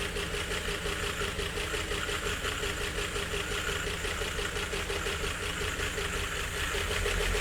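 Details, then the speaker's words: 1951 Chevrolet Fleetline straight-six, first start with makeshift carburetor held at cracked throttle by tie wrap (controls air only): ragged uneven idle with missing pulses, nearly on six; misfire, rough idle. "trying anyway. Nearly on on six. Wow. Well, it runs sort of."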